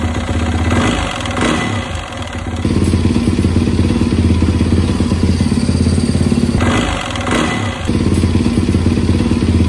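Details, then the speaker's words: 2017 Yamaha WR450 after a top-end rebuild with new piston and cylinder, fixing a knock caused by a badly worn piston rocking in the bore, ring end gap checked; single-cylinder idles and blips cleanly, much quieter, no rattle or knock. "put it all back together and freaking runs like a champ listen to this so much quieter"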